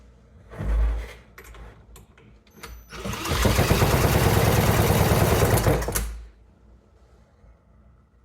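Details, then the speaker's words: Scrap small engine with tiny A20MU spark plug, compression test: after handling noise, about three seconds of even cranking at roughly three strokes a second, equal strokes; gauge reads 90 psi, decent compression. "That's too bad. 90 PSI. It's got decent compression, but it's got nothing else going for it."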